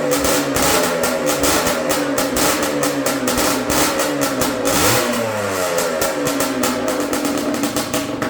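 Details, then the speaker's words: Yamaha Blaster two-stroke ATV with minor porting, pipe and jetting, after swapping the stator and flywheel from another Blaster to cure a no-rev problem: crisp revs rise and fall cleanly, no misfires; running healthy. "that's what I'm talking about yeah baby that sounds great"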